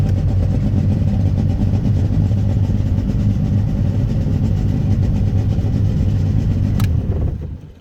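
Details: 1996 Sea-Doo Speedster on the water after MPEM removal and rewiring; deep steady engine drone holding even under cruise load with no misses or knocks, then easing off, running normally.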